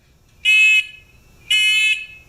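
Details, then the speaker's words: Discovery metal detector pinpointer with housing opened up: two loud, clean high-pitched beeps about a second apart, each under half a second; buzzer strong and normal, owner suspects speaker was mounted facing the wrong way. "Huh! That's what we want to hear. Now, we'll detect the desk."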